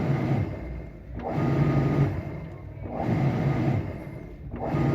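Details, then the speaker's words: Winia washing machine, after checking the motor and capacitor, run empty with the pressure switch held by a screwdriver: smooth swishing strokes about every second and a half with an even motor hum. The noise is gone; normal agitation. "está girando bien tenemos ahí colocado un desarmador en el presostato para indicarle que tiene presión y pues haga la función de lavado amigos como ven ya no se escucha el ruido"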